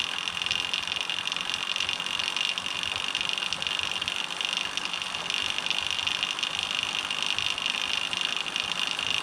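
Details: Homemade SWB bike drivetrain, chain spun by hand with plastic chain keeper fitted: loud high hissing whir with fast rattle; keeper resonates, about 10 dB louder than without it, amplifying idler noise.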